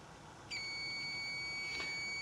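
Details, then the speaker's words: Mercedes 508D/613D fan thermostat switch bench-tested as water cools: quiet, then a sudden steady high continuous multimeter beep as it closes; owner is a bit suspicious it's slow but thinks it works. "I'm a bit it's a bit suspicious because it's a bit slow when it comes to open and closes. I think it's working. I think it's okay."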